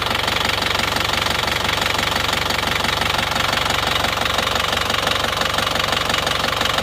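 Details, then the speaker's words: Isuzu Panther Touring diesel, after repair of a misfiring rough idle with tapping noise, idling warm at normal operating temperature: even, steady clatter with fan belt noise, no stumble or missing beats; now runs smoothly. "Coba kita siram air. Insya Allah sudah rata ini hidupnya. Enggak seperti yang kemarin karena pincang-pincang kemarin, pincang-pincang ini sudah enggak."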